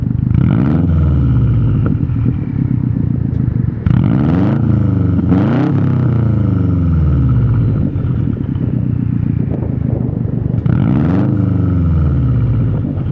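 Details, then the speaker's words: 2019 Subaru STI with newly installed Tomei catback exhaust: deep, loud rumble with smooth rev blips rising and falling, much louder than the same Tomei on a WRX; clean aftermarket exhaust note, normal. "Honestly, it's pretty loud in person. I would definitely recommend the Tomei on the STI. Like the Tomei on my WRX, it was pretty quiet, but on the STI it's like much louder."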